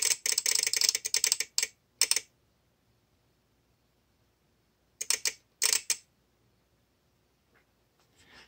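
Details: VXT-24 boiler feed controller on a flooding steam boiler, relay tested at 24 V with water dripped on the manual feed switch; sharp rapid relay clicks in uneven clusters with silent gaps: relay chattering as the wet, corroded feed switch shorts, bypassing anti-flood protection.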